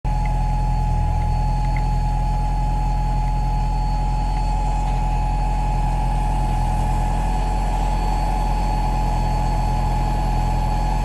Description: Return fuel system aeromotive pump making odd noises.